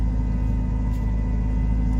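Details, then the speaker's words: Car with a new engine fitted about a month earlier, temperature needle reported climbing toward H: deep, lumpy, pulsing rough idle that tries to die when given gas; cause unknown, and the wrong PCM is suspected. "oh wow if I give it gas it tries to die oh my goodness see if I can get in the shop guys"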